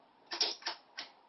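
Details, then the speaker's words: Netgain industrial controller running an electric motor module with a 36 V pack: three crisp clicks within about a second as contactors pull in one after another for pre-charge; normal startup sequence despite a lingering fault code. "that clicking noise is uh this contactor comes on and off this one comes on and off in some sort of a sequence it does the pre-charge and the controller is happening"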